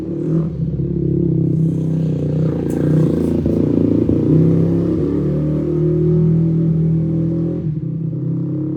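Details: Rebuilt Yamaha YFZ450 quad, restarted after the fuel was turned on: the single-cylinder putters unevenly and stumbles instead of holding a clean idle. It runs better but still rough, and the owner says the jetting still needs work.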